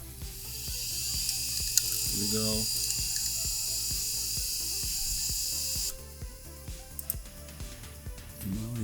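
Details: Old laptop's 10 GB IDE hard drive on PC-3000, mic right next to drive: short rising whir as platters spin up, then light rhythmic head-seek ticking; healthy drive starting.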